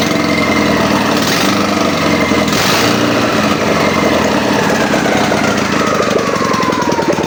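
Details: Ural motorcycle twin at first start after a full rebuild: busy, loud steady running with a fair bit of top-end clatter and exhaust bark; engine fires up and keeps going.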